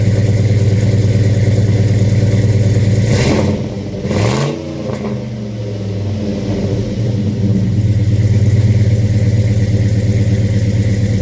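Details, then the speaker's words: 1968 Chevy C10 pickup with a 5.3 LS swap from a 2008 GMC Sierra, overdrive, Flowmaster mufflers; fuel pump primes, then a strong deep V8 burble, quick rev settling to a smooth, even idle with no misses. Normal start and rev. "Sounds good. That's the sound I like."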